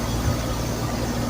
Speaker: Hear that noise? That's a compression. Get the thumbs up.